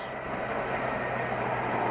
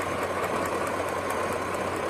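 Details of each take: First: 2004 Chevy Tahoe with P0300 misfire, after regapping plugs to 0.040 in and swapping a plug wire with cylinder 7: the idle is even and much smoother, though vacuum still reads 15 inHg, suggesting late ignition timing. Normal idle. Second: 2004 Chevy Tahoe with coil-on-plug ignition, code P0300 random misfire, stalling and stumbling at idle; at idle, sharp faint snaps about five a second over the engine hum on one bank, one coil arcing and causing the misfire.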